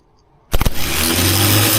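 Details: 1976 BMW 2002, freshly assembled engine, newly fitted starter run after oiling its drive: brief burst, a few quick pulses then a smooth steady whir; starter engages and turns freely.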